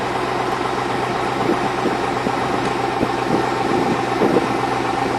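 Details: 2002 Chevrolet Avalanche Vortec 5.3 V8 at cold idle: a faint light tapping over a steady rumble. Piston slap is evident on cold start.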